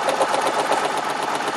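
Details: 1995 Geo Metro vibrating violently and nearly shutting off, suspected dead cylinder (low compression, head gasket or valve possible); cylinder confirmed getting spark: fast uneven tapping over thin buzzing idle, stumbling misfire, cause unconfirmed.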